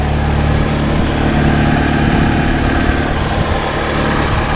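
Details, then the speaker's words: 2006 Chevy HHR four-cylinder with 125k miles, started on a booster pack with a dead battery and almost no fuel: a smooth, even idle with a soft steady hum and no knocks or ticks. A healthy engine. "as you can hear first like a kitten man can't fault it"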